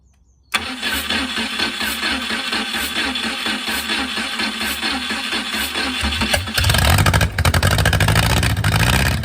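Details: Mercruiser 470 3.7L carbureted marine engine, first run in 16 years, automatic choke not working properly: catches right away, even firing beat, then revs cleanly with no knocks; normal start and idle.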